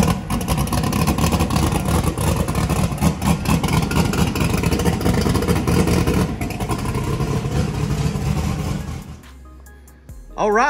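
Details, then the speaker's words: Chris's truck V8 just converted from gasoline to methanol, with new belt-driven fuel pump, restarted after idling about 4.7 air/fuel ratio: loud lumpy blips and revs about nine seconds then clean shutoff, crisp and strong; normal running. "got fire in the hole good job Brian and Chris and that think ranks right up when it's warm"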